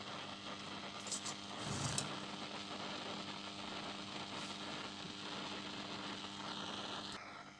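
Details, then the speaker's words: 1973 Zenith D-587 FM/AM/record changer in phono mode with the bad transistor refitted (checks okay but noisy): steady loud hiss, crackling bursts, faint hum; the noisy transistor causes the static and was replaced. "I put the bad transistor in and you can hear all the noise and the static,"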